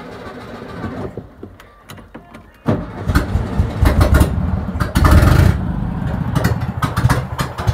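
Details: 1971 VW Beetle, air-cooled engine, first start after 8 years of storage with fuel poured in: quiet, then cranks, catches and runs rough with uneven revs before running; engine starting and running.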